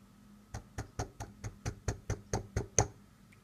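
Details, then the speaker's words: Seiko SNK809 automatic watch (7S26 movement) shaken by hand: eleven sharp, evenly spaced knocks as the winding rotor wobbles inside the case instead of only spinning, from a loose rotor screw. "hear this is the sound of the part which is not sitting appropriate inside of the mechanism can you hear this here is the normal sound of the rotor but this this is not the good sound this is telling that the rotor is not only spinning in rounds it's also moving like this inside of the body"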